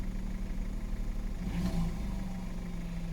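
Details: Audi A3, started on a jump after sitting about three months with a weak battery and slow crank: steady low drone with one brief rev, then an even idle; running normally.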